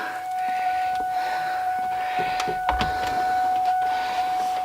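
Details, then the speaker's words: Ford Mustang convertible top hydraulic pump after replacing the top rams, cycling the top to purge air from the lines; steady mid-pitched pump whine with light clicks. Pump is low on fluid, topped up each cycle until it quiets or takes no more. "now the goal is to keep on doing this until until it completely quiets down and then we know or until it won't take any more fluid essentially"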